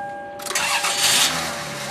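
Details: Car starting after throttle plate and idle air control valve were cleaned with throttle body cleaner and left to dry: faint hum, quick crank, engine catches and settles into a steady run; may run slightly rough and smoke briefly.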